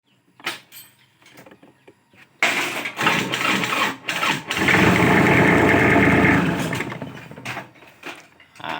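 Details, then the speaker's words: Tractor hard to start despite new battery, grounds and terminals fine: slow labored cranking about four beats a second; sluggish starter motor, to be removed and cleaned or replaced. "สรุปคันนี้ก็คือตัวมอเตอร์สตาร์ทหรือว่าที่ที่เราเรียกว่าไดสตาร์ทนะครับมันอืดนะครับ"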